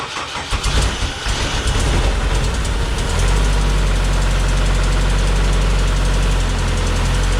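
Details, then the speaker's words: Homemade race car with a 20-year-old replacement engine, hard to start after fuel pump replacement: cranks briefly, catches and flares, then settles into a loud idle; better than last time when it didn't start; owner suspects insufficient fuel. "okay so that's better than it did last time last time it didn't even start at all sounds like maybe not getting enough fuel in there"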